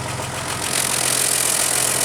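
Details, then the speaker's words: 2000 Jeep Grand Cherokee Laredo 4.0 L straight-six, exhaust heard at tailpipe after replacing a faulty ignition coil: steady even exhaust with hissy rush, no pops or skips; now running on all six cylinders, normal idle. "it's smooth it's not popping anymore it's running on all six cylinders now so it was the coil"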